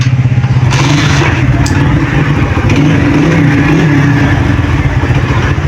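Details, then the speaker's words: United 100cc motorcycle after a complete engine tune-up: low even putter at slow idle with no rattle or knock, the earlier engine knocking noise gone; running healthy. "ये गाड़ी start है, check कर सकते हैं आप। ये गाड़ी slow, इस टाइम गाड़ी पूरी स्लो खड़ी है।"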